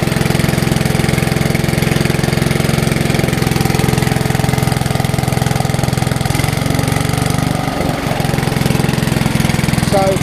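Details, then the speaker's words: Classic Hayterette mower after an ignition coil and carburettor conversion, previously hard to start and long unused, now refuelled after running low: a steady, even single-cylinder putter at constant speed with no misses or surging. It runs well. "Gasket, because it dawned on me the fuel was low, so put some in and it runs well"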